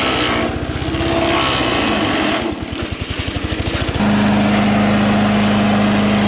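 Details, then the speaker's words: MTD 5 hp chipper/shredder, owner guesses 1990s-built, running after carburetor kit fitted: steady pitch, then slows into chuffing labour as branches feed in and picks back up once feeding eases and rpm recovers; normal chipping with engine bog under load. "once you throw it in there and you feel it bogging down you got to back it off a little bit and let the rpms come back up and then shove some more through"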